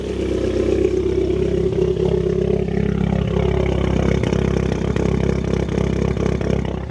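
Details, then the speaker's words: Cheap Mini Cooper S first start after battery charge: deep, loud, boomy idle with busy rumble and faint uneven ticking; very loud exhaust, slightly tappy engine with loose rocker cover bolts, suspected misfire. "Does sound very loud though. I mean, the engine sound a little bit tappy. Like I said, it probably doesn't help because all the rocker cover bolts are loose. Exhaust is very loud though."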